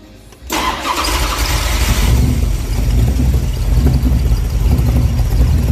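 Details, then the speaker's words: Time Bomb Racing 283 small-block V8 replacement engine, built after the previous engine came apart on Ice Bowl practice day, at first start: starter catches and it fires straight into a loud, steady, lumpy idle with no knocks or rattles; normal start-up and idle. "Let's fire it up and see what we're working with. If this thing will run, let's go."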